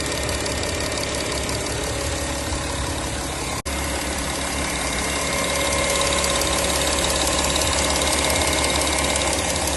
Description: My Audi Q7 2012 3.0TDI engine ticking/knocking noise, filmed both sides of the engine , 215k km.